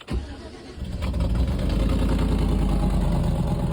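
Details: 2007–2015 Chevy/GMC truck with a no-crank/no-start fault, no shift indicator or lights, after fixing a small ground connection; a short churn from the starter, then the engine catches cleanly and climbs into a steady, even run with no misses or knocks.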